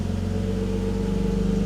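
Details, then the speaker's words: 1995 Mercedes E320 wagon (W124/S124) after new engine mounts, engine sitting about an inch higher: steady, even idle hum with a smooth low drone and no rattle or knock. An exhaust leak remains. Normal idle. "oh that is so much quieter there's nothing rattling anymore okay listen oh that's a thousand times better there's still the exhaust leak of course"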